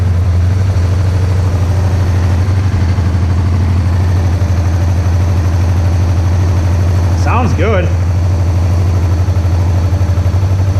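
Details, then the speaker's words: Motorcycle twin (Interceptor project) after bench carb sync: steady even low idle with smooth pulse, no knocks or rattles; healthy and much quieter than owner's Vance & Hines-equipped bike. "it is so much quieter than mine with the vance heinz exhaust on it my goodness i didn't realize how loud mine was"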